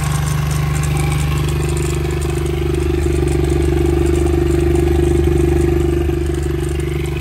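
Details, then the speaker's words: 2000 Honda XR70 small single that smokes badly, after running about 10 minutes: loose rattling clatter over the exhaust beat at idle; sounds like cam chain slap. "it's really a lot of cam chain slap it sounds like"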